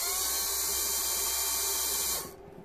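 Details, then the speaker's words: Mitsubishi Shogun HBB brake unit pump motor, bench-tested after a no-brakes fault with the ABS and brake lights on: a smooth, steady high-pitched whir with no grinding or rattle, then a clean spin-down; the pump motor is healthy. "try the opposite way although the motor will only turn one way obviously and it's working lovely"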